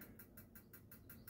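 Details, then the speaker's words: Gas heater in a 2019 Auto-Trail Tribute 615 motorhome: quick, sharp igniter ticks about five a second over a quiet hum while the gas is drawn through; igniter clicking before lighting. "you can probably hear that's clicking and trying to ignite so let's turn it around to maximum it's probably drawing the gas through because i wanted to switch the gas on"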